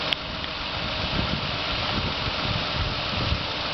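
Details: Knocking engine at rough idle on a just-bought 2005 Ford Escape: irregular dull knocks through a noisy hiss, cause not pinned down.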